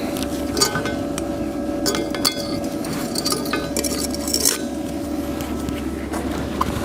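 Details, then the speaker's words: HITBOX MIG200II welder in MIG mode with inductance switched from negative settings to plus: irregular sharp crackles and pops over a steady hum, showing arc crackle and spatter. "czyli trzeszczy, strzela"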